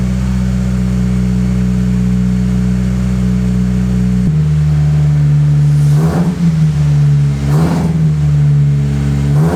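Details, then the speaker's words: Toyota AW11 with a bike-carb 4AGE after a faulty coil pack was fixed: the revs hang at about 2000 rpm after each throttle blip and drop only after another blip. The cause is unconfirmed, and the radiator also still leaks. "So when I blip the throttle, you can hear them. They stay at like 2000, and then you blip again and then they go down."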